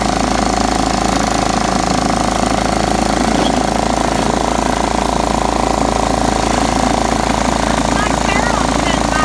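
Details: John Deere STX38 mower, parked about nine or ten years, revived with new battery and freed stuck carburetor float: steady even beat about three and a half pulses a second, constant hum, no misses.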